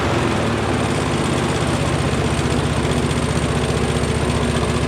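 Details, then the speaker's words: Honda mower engine after cleaning a rusty ignition coil, running at low throttle: a low, even, quiet putter with a steady beat and no misses or rattles. It is loud on high and very quiet on low. Normal idle. "when it's on high it's loud like a normal mower and then when you bring it down low it's uh really quiet"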